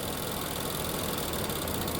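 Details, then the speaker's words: 2020 Infiniti QX60 V6, 95,882 miles, with oil consumption and code P0304, cylinder 6 deactivated: the idle drops to about 500 rpm, low and shaking. Cylinder 4 barely changes it (about 800 rpm), suggesting a weak coil or bad plugs. "And look, it's responding just like cylinder 2, dropping down to about 500 RPM, and it's having a drastic effect."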